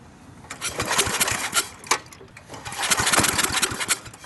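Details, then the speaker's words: Briggs & Stratton industrial small engine with a newly fitted carburetor, extremely hard to start: ragged uneven firing bursts cutting in and out, straining but never settling; fuel not reaching the carburetor because the vacuum tube was connected to the fuel pump inlet backwards. "oh you hear that it's trying hard"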